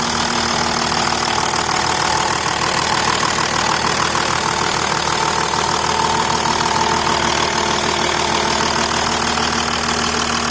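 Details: 2008 VW Touareg turbo diesel just after fitting new Bosch high-pressure pump and new timing belt: steady, even idle with a light, regular clatter about three beats a second, no misses or knocks. Normal idle.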